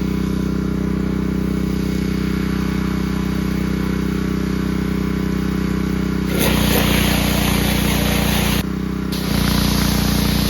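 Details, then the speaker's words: New Champion 3200 PSI 2.5 GPM pressure washer from Home Depot: small engine holds an even, steady beat while water hiss comes and goes with the trigger; runs smoothly, though soap will not draw up the hose. "Well, it's running fine, other than I'm not able to get the soap to go up through the hose like it's supposed to, so I don't know what's going on with that."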